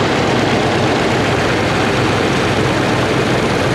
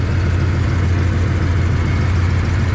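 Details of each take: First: 1994 Dodge Dakota SLT V8 at idle, mic near valve cover: light fast tapping up top growing louder; valve train tick from low oil pressure, gauge reading none despite new pressure switch; owner thinks noise isn't new; fixed by new oil pump and pickup tube. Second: 1994 Dodge Dakota SLT V8 idling after a new oil pump and pickup tube, heard in the engine bay: deep, smooth, even rumble with no ticking or knocking. The engine sounds healthy.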